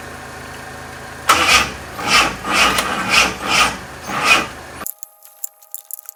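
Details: Fake Aston Martin replica kit car, carburetted engine cranked while distributor turned for timing: slow even cranking pulses, about six compressions in 3.5 seconds, never catching; no-start traced to gummed carburettor linkages, cleaned afterwards.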